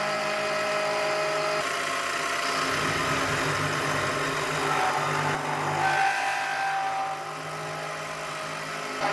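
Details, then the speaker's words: Milling spindle on a heavy roughing helix-spiral cut into a hole (to 26 mm diameter): steady whine under constant cutting noise sags in pitch and loudness midway as it loses almost 200 RPM; the cutter survived. "Did you hear how it broke down when it was doing that helix spiral in the hole? I could hear that it broke down almost 200 RPM, so I thought maybe the mill wouldn't last there, but that wasn't a problem."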